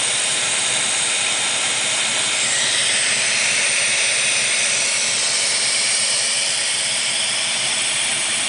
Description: Major vacuum leak, coming from the rear and driver's side of the fuel distributor. Appears to be coming from under the air metering manifold.